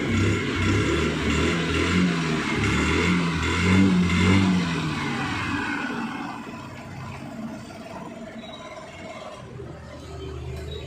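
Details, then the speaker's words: Hero Maestro Edge BS6 scooter after fixing its hard starting and choppy pickup, restarted two to three days later: starts on the first press and settles from a rev into a steady even idle with no misses. "இல்லை இப்ப வந்து பார்த்தாலே தெரியும் வண்டி வந்து ஹைட்லிங்ல வந்து கரெக்டா வந்து ஓடிட்டு இருக்கு"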